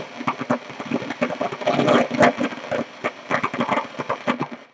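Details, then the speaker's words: Hallicrafters SX-42 receiver with no antenna: irregular sharp crackles and pops over hiss, several per second in uneven clusters; crackling that cuts off when the band switch changes; owner suspects a bad capacitor or wafer switch, unconfirmed. "That noise can be caused by three things. Local thunderstorms. That's what I thought it was."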